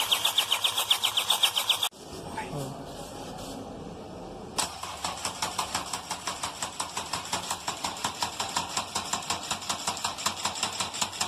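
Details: BMW N47 diesel after an overhaul, cranking with injectors fitted but no fuel: heavy, regular knock on every compression about two and a half per second; it cranked smoothly without injectors; horrible knock, cause unknown.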